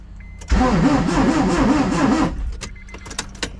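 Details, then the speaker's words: Honda CR-V with turbo B16 swap, cranked with no ECU connected to prime oil: harsh rough grinding over a fast uneven crank, no firing; owner suspects the pressure plate face is rubbing inside the transmission/bell housing; crank turns freely by hand. "It sounds like the pressure plate like face is rubbing up on the inside of the transmission. That noise that I'm hearing, it's not a nice sound, guys."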